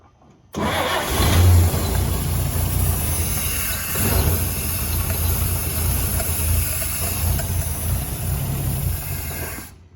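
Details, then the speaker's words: "Fire'y 49", first start in over a decade after swapping in a 1957 235ci distributor and coil to cure no spark, no fuel line connected: catches after a short crank, steady even low idle, no misses; normal running. "since i don't have a fuel line hooked up just enough to let it run it runs and it sounds good yay"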